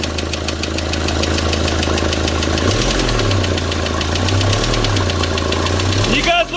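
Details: D4CB diesel knocking after break-in: a loud, rapid knock over the idle that rises briefly as the revs blip, deep from inside the engine, cause unclear.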